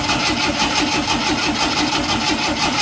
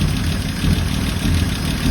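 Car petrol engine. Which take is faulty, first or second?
first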